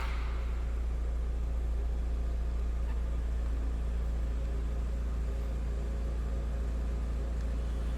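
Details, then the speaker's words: 2000 Volkswagen New Beetle GLS, low-mileage 2.0-liter, heard from behind the car at idle: low, even, quiet exhaust hum with no knocks or misses; sounds as it should, normal idle. "Slip around to the back so you can hear this run. Pretty quiet car, of"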